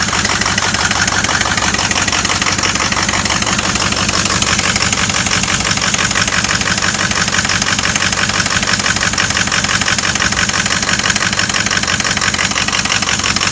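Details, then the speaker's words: 2006 Ford XLT truck, diesel at idle: sharp rhythmic puffing tick, about three per second, loud and hissy. Exhaust leak heard, with heat felt underneath; broken pipe found at the Y-pipe. "Oh, that's leaking exhaust like a mother. I can hear it right now."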